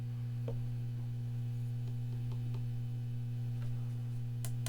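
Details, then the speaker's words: 1970s silverface Fender Twin Reverb valve amp during noise repair: a steady low 60-cycle mains hum remains but is quieter than before, with the reverb 'static storm' crackle returning. "So, there's still a 60 cycle hum, but it's not as loud as it was."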